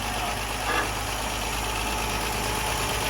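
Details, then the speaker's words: Ford Mk1 Granada 3.0 V6 Ghia with new choke cable, choke out, running on its own fuel tank: smooth, even idle with a soft steady hum, no knocks or misses; normal idle. "So that's officially running on its own fuel now, and its own fuel tank. Listen to her purr."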